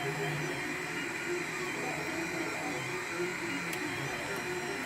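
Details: Monoprice Select Mini 3D printer, one day old, during its third print: constant whirring with rough, scratchy grinding edge and motor buzz; cause not found.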